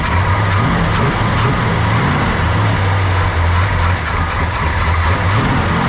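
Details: Freshly built Mopar big block V8 in a 1967 Dodge Coronet 500 convertible, after fixing valves not closing fully: deep even rumble at a steady fast idle, no ticking, knocking or exhaust puffing; runs normally.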